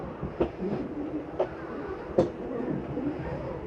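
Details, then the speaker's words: 2012 Montana 326RLRT RV, button held to run all slides out together: steady low motor hum with scattered clunks as slides travel; normal slide-out operation. "All slides on one button, kind of convenient. You'll hear a dimming noise that'll tell you that it's done running everything out."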